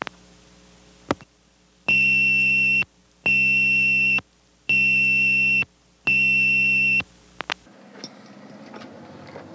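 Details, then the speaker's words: Cabot, Vermont exchange 1975 ringing machine, ring selections four and nine, highest ring frequency: added 2700 Hz audio tone, four even high beeps about a second long with short gaps; normal. "The 1975 ringing machine added a 2700 hertz audio tone to this highest ring frequency."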